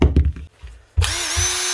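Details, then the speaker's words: 2007 Makita BTD140 18V brushed impact driver, 17 years old, after armature replacement repair: after handling clicks, motor spins up to a steady, even whirr with no rattle or grinding; running nice and smooth, healthy. "that that's her one old Makita BTD 140 18vt brushed impactor that's the original twin brush Universal motor lithium battery and factor that made M put out the BPD not the dpd that's her running nice and smooth"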